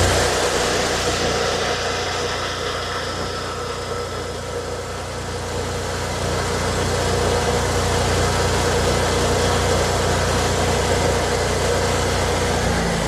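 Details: Miller welder Kohler EFI engine after work on its faulty flooding fuel pump: once running it holds a smooth, steady drone at constant speed with no stumbling or surging; running properly.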